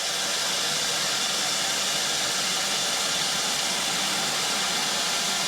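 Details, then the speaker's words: New-home fire sprinkler system at final inspection, test release of pressure to trigger interlocked smoke alarms: loud, steady rushing hiss as gauge pressure drops; normal sprinkler pressure release. "So, let's mimic a fire sprinkler system going off. So, right now we're releasing the pressure. As you can see the gauge here is dropping in pressure."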